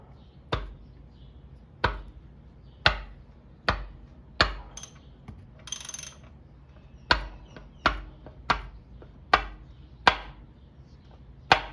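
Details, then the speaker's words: Honda D16Y8 engine with head removed, crank turned by hand: sharp, hollow metal clacks, about a dozen in twelve seconds, louder further down the stroke, as one rod lags the crank, rod bearing knock from excess clearance, worn or missing bearing. "That's the bearing. Every time this one goes down, this one does not follow because the bearing has that much space, or the bearing is not there, or the bearing is worn out pretty bad."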